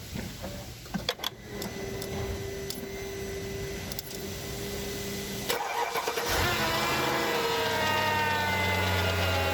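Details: Mercedes E55 AMG M113K supercharged V8 cold start, fast idle, after switching to 0W40 oil and 98 fuel: light, quick ticking from the left cylinder head that fades when warm; owner suspects hydraulic lifters or timing chain.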